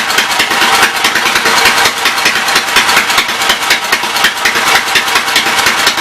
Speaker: not bad. It's even pumping oil.